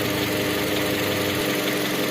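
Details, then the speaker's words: Toyota Camry engine, previously noisy and rough from oil starvation, after oil change: smoother idle with no shaking, faint light ticking the mechanic attributes, unsure, to the hydraulic lash adjusters (HLA); normal idle. "Ini lebih halus ya, nggak getar juga ya. Ada suara kletek-kletek dikit, itu suara dari ini HLA ya, klek kosong mungkin ya, mungkin tapi."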